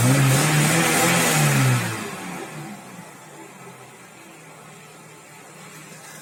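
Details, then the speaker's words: Audi 100 C3 1.8 with a mechanical Pierburg 2E carburettor, after the owner fixed its cold-start problem: revs rise then drop cleanly to a steady, even 980 rpm idle without hunting. Normal revving and idle. "Ну вот, пожалуйста. 980. Обороты держит стабильно."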